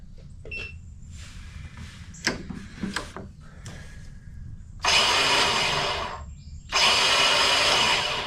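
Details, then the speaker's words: Toro Personal Pace 22-inch self-propel electric-start mower: two bursts of high, steady whirring with no engine turning; battery drops to 9 volts, starter drive not kicking in, suspected clogged with grass and dirt. Starter spins but does not engage. "just running the starter it drops down to 9 bolts so it didn't even have enough spin to kick the starter Drive in to even start it"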